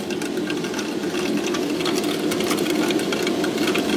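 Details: Boiler room primary heating circuit restarted after opening for a pump change and bleeding: irregular crackling and hissing rush through the TA balancing valve, like grit in flowing water, trapped air still circulating.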